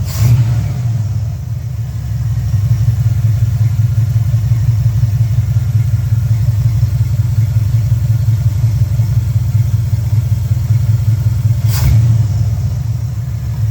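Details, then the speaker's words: 1972 LeMans with International body swap, cold day, after turning up idle screw: warm engine holds low, steady, even idle, sounds a lot better; electronic choke likely needs turning back. "that sounds a lot better so I think the uh choke electronic choke needs to be turned back a little bit too"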